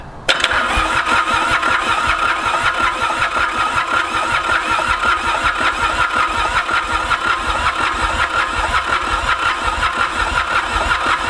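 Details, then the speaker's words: Ransomes Bobcat diesel mower, Mitsubishi K3D engine, first start attempt after 9 years, glow plugs skipped because of excess fuel, starting fluid sprayed: steady cranking at about two turns per second with no firing; flooded with too much fuel, crank no-start. "still no joy here what's going on give it a little huff starter fluid [Laughter] he's small kids he's getting too much fuel ah it wants to go so bad you can tell"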